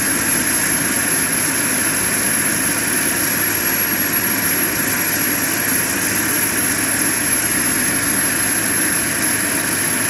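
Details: JetCentral turboprop turbine on its first test start, with a temporary wrong-size propeller: an even rushing roar under a constant high whistle, no surging or sputtering; it runs smoothly at steady speed.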